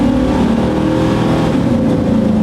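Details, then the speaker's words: 1997 GMC Sierra 3500, after a fuel pump replacement, at full throttle: strong, clean pull with pitch climbing through the gears, shifting fine, no misses or knocks. Normal full-throttle acceleration. "All right. It's shifting fine."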